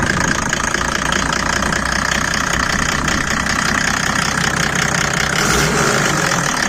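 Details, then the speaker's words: Mercedes W124 OM606 diesel, straight-through exhaust, ice-cold first start with the bonnet open: loose, uneven knock about three beats a second over rough clatter. The owner suspected rod knock; it was likely an exhaust leak from a cracked turbo manifold pipe. "all right guys so just um a bit of a concerning sound coming from the car and I I wanted to kind of get people's perspective on us to me it sounds a little bit like rod knock"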